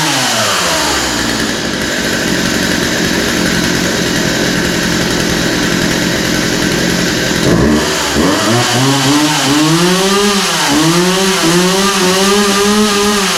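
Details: Poulan 2150 chainsaw after the pull rope was reinstalled: a crisp two-stroke buzz revving cleanly in repeated blips and settling to a steady idle; runs well without carb adjustment, and the chain is oiling.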